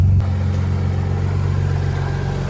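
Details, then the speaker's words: Audi 2.7T on a Link plug-and-play ECU after a misfire was fixed by returning pins 103 and 94 (cylinders 3 and 4) to their normal locations: a low, even idle burble with no stumbles or skips, idling perfectly. "So, and when I swapped them back, I mean, she's idling"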